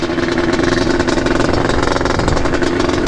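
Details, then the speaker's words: 1992 Yamaha Banshee two-stroke resto-mod, freshly rebuilt, pulling away through the gears: crisp, buzzy, fast steady beat, even and strong without misses; normal healthy running. "Oh man, nice and smooth. Oh, does that sound healthy? Oh boy."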